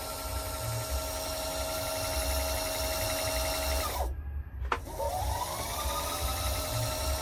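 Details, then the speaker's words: Pfaff Creative 3.0 sewing machine after repair of a bobbin winder that made noise but would not spin, fixed without new parts: steady motor whine and smooth whirr, stops then spins back up; winder works normally. "so now the bobbing Winder see spinning so if I deactivate it if I activate it now it's spinning"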